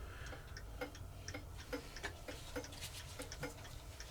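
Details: Reassembled Elliot carved tall chime clock movement with maintaining power engaged, pallets being oiled: soft, even tick-tock at roughly three beats a second; the escapement is running healthily.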